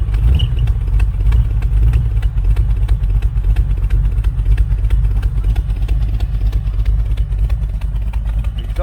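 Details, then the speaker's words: 1980 Camaro Z28 V8 from a junkyard, at light throttle: sharp, fast ticking about three a second over the exhaust note; suspected header leak, possibly a slight miss or a cam. "leak. Header leak up here. I hope that's just a header leak. Sounds like it."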